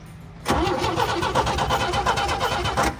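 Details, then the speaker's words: Old International Scout slant six, not run properly in years, cranking during ignition diagnosis: starter churns at a steady, even rhythm but never fires; no spark, later traced to faulty points, coil possibly weak. "Okay, it's a win. It was the points. It's got a weak coil on it, I think."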